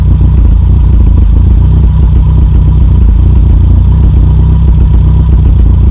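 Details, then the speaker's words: Engine on a stage 1 kit idling: loud low rumble with uneven exhaust pops and crackle, caused by 34 degrees of ignition advance at idle, way too advanced. "okay so we just checked the timing uh one of the things you notice there is the popping on the exhaust if you have a look at the Charming setting the reason why we're popping on the exhaust is because we've got 34 degrees of ignition Advance when that's idling which is way too advanced"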